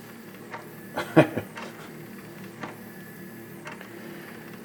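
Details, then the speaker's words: Sony CDP-C445 five-disc CD changer with erratic tray/carousel behavior and load/eject failure, after a power cycle: scattered soft clicks and bursts of clunks with no pattern. The mechanism moves on its own, possibly a sensor issue, unconfirmed. "yeah I don't think this uh I don't think the CD changer needs a tech I think it needs a clergy man so yeah what it's doing is not good uh maybe there's something going on with the uh sensors or whatever"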